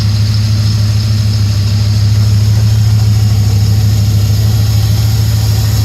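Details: 1999 Dodge Ram 1500 5.9 Magnum V8, which knocks when cold; water pump and thermostat replaced, oil treatment added; owner suspects lifters: steady, even warm idle with a deep low rumble and no knock or tick. Normal idle.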